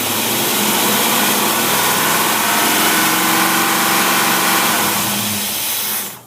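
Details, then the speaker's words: Edelbrock carburetor on a warmed engine, choke open, cold weather: even, steady fast-idle roar with no stumble, then shut off; mixture leans out as it should. "The mixture has leaned out just exactly like it's supposed to, and you don't need as much gasoline for every part of air."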